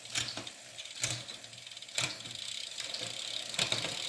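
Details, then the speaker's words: Fuji SL Limited road bike with Shimano Ultegra Di2 12-speed, rear derailleur just indexed (five upshifts), limits not yet set: crisp clicks about once a second as the chain steps cleanly across each sprocket to highest gear and back; normal shifting. "Okay, so this should be perfectly indexed. Let's try it out. Okay, highest gear, all the way up."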